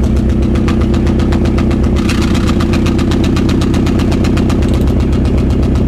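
Engine idles with a pulsing beat around four per second that sounds uneven and stumbly rather than smooth, pointing to a misfire.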